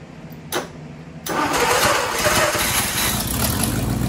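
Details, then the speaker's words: Ford Y-block V8, garage rebuild with a rehone, first start after fixing plug wiring and TDC errors; two short cranks, then fires and settles into a steady even idle with no misses or knocks, a healthy start. "so I just wanted to see if I could get it started really happy it actually sounds really good for a you know a garage build"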